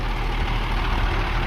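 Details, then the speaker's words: 2001 International 4700 DT466E diesel grapple truck with very low miles and an Allison transmission, idling after running over half an hour: a steady, even low rumble with no smoke, knocks or misses. A healthy engine. "All right. The motor sounds great. It's been running for over half an hour. No smoke, no knocks. Sounds good."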